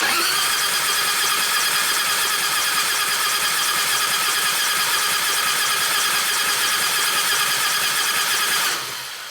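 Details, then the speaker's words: 1996 Harley-Davidson FXST Softail 80ci Evo project bike, purchased over 10 years ago: even, rapid cranking at about three turns a second for nearly nine seconds, ignition off, spinning to get oil to the rockers; starter works well. "Appears to work pretty good."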